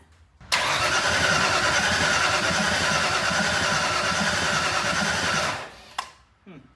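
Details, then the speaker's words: Ford Mustang on its first start attempt: about five seconds of steady starter cranking, engaged from the solenoid, turning over but never catching; fuel smell and a couple of fires heard; owner checking the firing order. Crank, no start. "I'm going to be honest with you guys I really thought that it would uh try to start well that was the first attempt"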